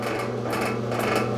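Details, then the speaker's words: Model 340 drill press after complete rebuild, new spindle and new bearings in head and quill, top left open: steady motor hum with rhythmic throb about twice a second, severe vibration and spindle pulsation; motor runs smoothly with belt off, cause unclear. "the top will start chattering and you'll you'll hear how much vibration is being produced spindle you can feel that that pulsation"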